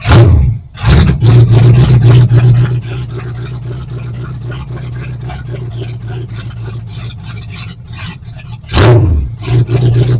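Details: 1970 Ford Falcon with swapped 5.0 small-block Ford after carb clean and reassembly: catches and revs hard, sags into a weak uneven run, needs throttle blips; won't stay running. Owner suspects excess fuel pressure at the carb top; unconfirmed.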